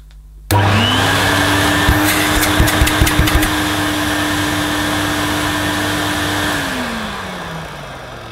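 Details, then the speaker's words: Vintage Electrolux 502 upright vacuum cleaner, about 40 years old, after clearing clogged gunge; it still needs new brushes and possibly bearings. The motor jumps to a steady, even hum with no wobble, then winds down smoothly when switched off. Sounds healthy. "um i guess that motor sounds pretty pretty good"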